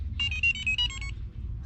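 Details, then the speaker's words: DIY wireless pistol-grip RC controller and new ESC for a Newport 24V 86lb trolling motor on Ryobi batteries: short run of high musical beeps at power-on, then solid blue and green lights; pairs normally. "makes it pretty little beeping now now that's now has the solid blue lights"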